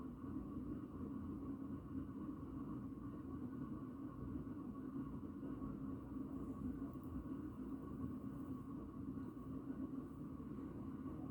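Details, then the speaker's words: 36-inch Four Seasons Galaxy ceiling fan on medium speed with very bad bearings: steady low rumble with a faint hum and growing bearing noise as the blades start to wobble. "all right here's a medium you can hear the bearings are starting to get really loud now it's starting to wobble a bit now starts to wobble on medium it's making some more noise as well"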